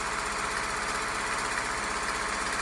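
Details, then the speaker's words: 500 series sewing machine, pedal pressed after the oil-soaked motor was run back up to speed and a part was re-seated and tightened: fast, even mechanical chatter with a steady whir, no labouring; running normally, like new. "just like the day it came off the assembly line that's why I'm such a fan of these machines"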